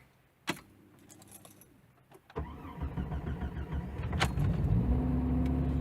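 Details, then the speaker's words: 1996 Jeep Grand Cherokee Laredo cold start, rough idle and lean code, suspected dirty or bad idle air control valve: starter cranks briefly, engine catches within a couple of seconds and settles into steady idle; starts cold easily, hard starting mainly when warm. "thing in the morning cold start usually starts fairly decent"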